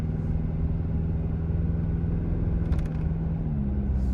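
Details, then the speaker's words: 2025 Toyota Tacoma TRD Sport (4th gen), in-cab over bumps; steady low road rumble with a short cluster of sharp plastic clatters from an owner-added tray behind the screen and headrests in their posts: interior rattles over bumps. "First of all, the ones that you can hear the loudest there were actually the behind the screen tray that I have in my truck, and it's where you guys are mounted."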